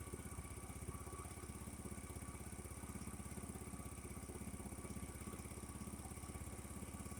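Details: Refurbished 50cc Chinese scooter with 13 miles, warm idle after draining water-contaminated fuel from tank and fixed-jet carb and a new spark plug, charging fine at idle: quick, even putter with no misses or knocks; normal idle.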